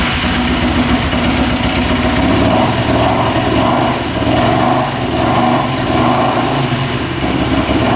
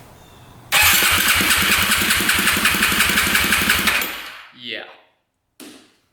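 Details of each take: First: 2008 Yamaha YFZ450 single-cylinder quad, freshly started after oil was put down the cylinder. It thumps at a slightly uneven idle and smokes heavily. Blue smoke did not clear after a ride, and the owner thinks it is burning oil. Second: 2008 Yamaha YFZ450 single-cylinder quad on a compression test after setting the timing and adjusting the valves. The starter cranks at about four strong, even pulses per second for three seconds. Compression is now 160, so a tight intake valve had been the problem.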